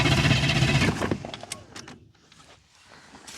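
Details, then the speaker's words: 350 small-block V8 truck that has sat a long time, possibly without fuel, cranked with an Autogen 4500 A portable jump starter. Quick, even starter spin at about four beats per second for under a second. Strong, healthy cranking. "just knowing it's been setting as long as it's been setting and it fired it over like that 350 small block is not an issue for the auto gen 12 volt power portable jump starter"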